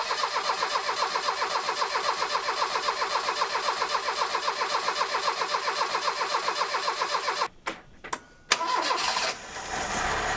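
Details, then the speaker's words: Ford Escort Mk3 CVH engine with a new Weber carb, choke on, after a fresh exhaust was fitted: a steady, even pulsing idle with no blowing or ticking. Quiet, healthy, normal idle. "yeah boys have you ever heard a CVH sound as quiet as that"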